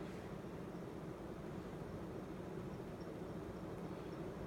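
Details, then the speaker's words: Emerson 52-inch K63 four-blade two-speed ceiling fan, restored with new downrod and switch, on high speed: quiet even hum and soft air rush, no ticks or wobble, current draw a little under; running normally. "brought it up to high current dries a little bit under a"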